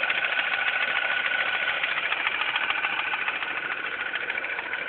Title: Mini cooper s idle ticking noise.3GP